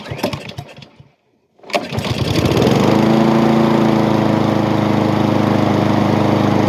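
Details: Honda small engine after repair: everything now moves as it should where it previously didn't move as much, and it had been loading up before. Owner thinks its carburetor is the one now on the red unit. It pulls over, catches and settles into a steady, even drone with no hunting.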